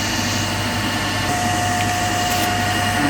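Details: Three-phase induction motor coupled to DC compound machine under single phasing (one phase disconnected), about 230 V, one phase current zero, roughly 1486 rpm: loud steady hum with strained growling undertone.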